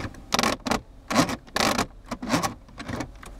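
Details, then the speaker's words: 2014 Nissan Altima automatic gear shifter in center console making intermittent dry plastic ratcheting when shifting; sticky residue, probably spilled soda, in a plastic piece; cleaning fixed it. "I have a 2014 Altima that's sometimes making a ratcheting sound when I'm shifting let's see if I does it right now yeah as you can hear"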